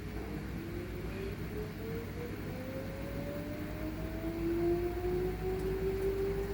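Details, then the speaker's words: LG inverter washing machine after repair of an LE error: a smooth hum rises evenly as the drum spins up to high speed, with no knocks or grinding and normal running. Something plastic in the drum flaps. "Động cơ đã tăng tốc Các bạn nhìn thấy là lồng quay tít lên rồi đúng không ạ lồng đã bắt đầu Tít nghe vo vo rồi đúng không ạ"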